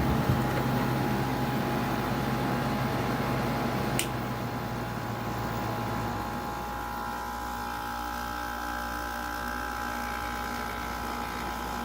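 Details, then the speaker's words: General Electric 5,150 BTU window AC, unused for a long time and only starting to cool, condenser coils likely clogged: a low steady hum with a faint even tone and no knocks. Owner briefly wondered about lubrication; the compressor runs normally. "it's a very nice sounding compressor i could listen to that all day"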